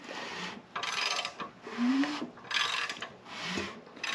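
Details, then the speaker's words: Small-block Chevy 305 for a '57 Bel Air, being assembled while setting lifter preload; hand-turning the crank brings a hissy, raspy rush about once a second over piston sounds. Air bubbles seen escaping from a hydraulic lifter. "there's the sound of the Pistons moving up and down in the cylinders but in addition to that there's definitely some in fact you can see it pretty decent here I think I put too much light on it but right around right around the edge of this lifter here I actually get a few air bubbles on occasion"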